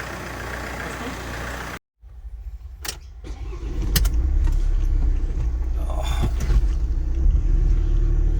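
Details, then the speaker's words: 2011 Ford Transit 2.2 turbo diesel, first start after replacing a snapped timing chain: it cranks briefly, then settles into a steady, even diesel idle with no start rattle. Normal idle. "okay so we've got the transit 2.2 liter all back together starts and runs it goes really well"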